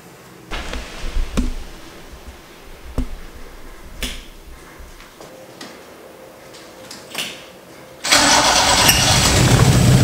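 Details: Toyota 4A-GE 16-valve engine with bike carburetors, first start: a few quiet clicks and handling sounds, then the engine catches cleanly and settles into an even run; healthy start.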